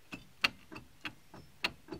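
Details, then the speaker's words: Car jacked up, front passenger wheel off the ground and rocked by hand: sharp metallic clicks about three a second from play in a shot wheel bearing; car had been grinding while driving. "you just grab the wheel when it's up off the ground you can see all the play in it there so that bearings pretty much shot"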